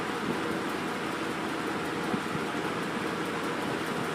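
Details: 1988 Lakewood 20" box fan model 223/M with McMillan motor, bent and rusty but runs, before restoration: steady even rush of air with no rattle, tick or hum over it; running smoothly on high.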